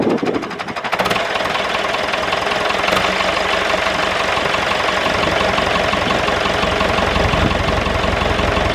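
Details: David Brown 996 diesel tractor, sitting about 10 years, first run after storage: rough for the first second, then a steady, even clatter holding a consistent idle beat; normal diesel idle.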